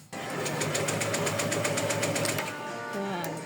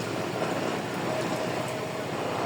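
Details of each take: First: Honda PCX160 scooter cranking but not starting: steady starter cranking, about four beats a second, never catching; new battery and spark plug didn't help; failed fuel pump. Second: Honda PCX160 scooter that would only crank and not start, now running after the fix, no check-engine light: even constant engine drone without stumbles, pops or rattles; runs smoothly.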